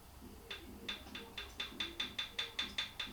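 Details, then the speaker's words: 1978 Triumph Bonneville T140E, engine cold and stopped, exhaust valve rocker rocked by hand: about a dozen light sharp metallic ticks showing free play; clearance checked at 0.006 in with a feeler gauge, spot on. "Hopefully you can hear that tapping. There's a gap there."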